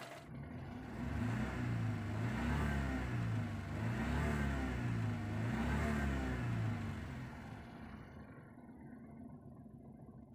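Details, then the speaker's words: Perodua Kancil 660 petrol engine blipped high and low after adjusting the contact-point gap, with rotor and distributor cap refitted and covers off. Revs climb and drop cleanly with no stumble or hesitation, so the contact-point setting is okay. "Kita rem tinggi sikit, rendah tinggi sikit, tengok ada sangkut tak sangkut. Situ kita tahu dah dia punya contact point okey ataupun tidak."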